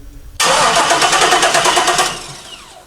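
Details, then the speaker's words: 1968 Chevy C10 truck with LS engine, probably over 200,000 miles, cranks but won't start despite fuel pressure: steady, even starter cranking about three beats a second, never firing. "it cranks I doesn't start so we're just going through the checking the basics"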